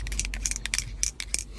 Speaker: А у меня маркер лежит под ковриком который в процесе издаёт вот этот вот мерзкий звучок Блин чуть не рехнулся